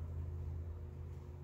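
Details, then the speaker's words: 1992 Buick Roadmaster sedan passenger power seat recliner, stuck reclined: a clunk, then a steady low electric hum as the motor runs and cables turn but the seat never moves; the screw mechanism was seized. "s you can hear a clunk the seat does not move you look under here that's the motor right there now watch those cables when i press the switch see i think the motor is working i think it's this screw mechanism that's stuck"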